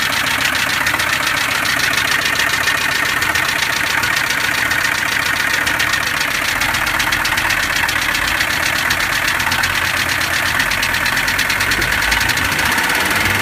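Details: 1982 Mercedes W123 300D turbo diesel idling with a fast, steady clatter, sharp ticking and loud knocking; being diagnosed, cause not yet determined.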